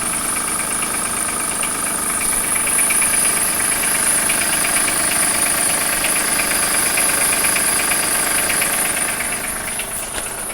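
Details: 2003 Acura MDX, 208K miles, steady idle with sharp regular light knock near three per second; misfire codes on all 6 cylinders; owner suspects jumped timing tooth, dealer suspects wrist pin or rod bearing; timing belt overdue, valves ticking; unconfirmed.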